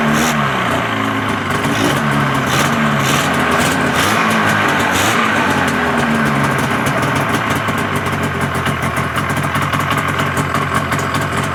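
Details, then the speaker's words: 1981 Ski-Doo Blizzard 5500 snowmobile two-stroke, after carb cleaning and new fuel and primer lines, first-pull primer start; crisp buzz revving up and settling back cleanly, no bogging or misfire. "pretty good so that's the great thing about these scos with the primers if you know what you're doing they're fantastic and and their first pole start every time"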